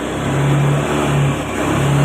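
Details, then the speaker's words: Fuel-injected Honda Beat scooter, fuel pressure 30 instead of 40, before manual ECU reset: revs rise and sag unevenly, surging and dropping instead of climbing cleanly; engine still stumbles (brebet) under throttle. "tapi masih terlalu apa ya ataupun masih dalam kondisi yang brebet"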